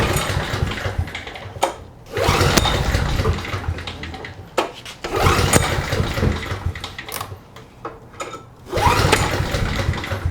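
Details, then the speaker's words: Trash-picked 2005 Craftsman 5600 W generator, 10 HP Briggs & Stratton, first start attempt with fresh oil and gas, choke on: repeated pull-starts with brief coughs that never catch; a fuel delivery or carburetor problem is suspected. "It's trying. Alright, next step is to spray some liquid fire in the mouth of this thing and see if it coughs a little bit better."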